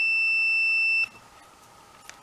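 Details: Fat PS2 with its fan not spinning, multimeter checking fuses on the board: a steady high beep for about a second shows continuity, so this fuse is intact. The fan fuse PS5 showed no continuity.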